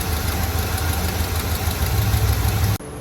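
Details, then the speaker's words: Chevy C30 square body Mason dump V8, just revived after an under-hood fire, nothing adjusted yet and timing not set: deep, steady idle with even low pulses and no knock or miss; it sounds good. "I haven't done anything. Go back in advance. No complaints on the old girl. She sounds good."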